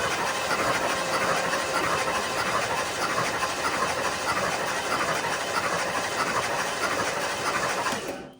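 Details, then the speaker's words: 1977 Lincoln auction car, not run in decades, cranked with spark plugs out: a steady, even whirring crank with a hiss of air from the open plug holes. The starter is healthy and oil is blown from the cylinders. "Starter sounds wonderful. We're clearly getting compression the way it blew the oil out of the cylinders."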